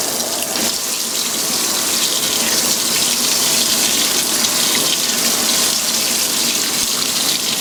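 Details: Steady hiss of water rushing into the tub of a restored Fisher & Paykel washer, first fill on heavy duty, warm, high water level, large normal load; no knocks, grinding or motor strain, a normal fill.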